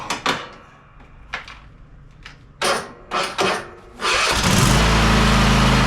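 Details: Husqvarna YTH24K54 riding mower after service (new oil, oil filter, spark plugs, fuel filter, air filter): several short cranking bursts, catches near four seconds, then steady even idle. Normal idle.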